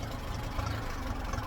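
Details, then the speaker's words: Ferguson TED20 tractor engine, hot, after oil, filter and oil-bath air filter change, revs reduced to steady tickover: even low-pitched idle, smoother, less knocky and grindy than before; oil pressure holding 20–30, previously dropped to nothing when hot. "It sounds like it's running smoother, it sounds like everything's firing neatly. I don't want to jinx it, but it sounds less knocky and grindy."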